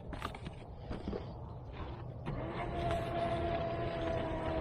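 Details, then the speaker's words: Cardboard shredder feeding a thick cardboard strip for worm bins: a steady motor hum with a faint whine holds its speed while the cutters chew through. Normal, healthy operation under load. "There it goes, just like that. Eating it up."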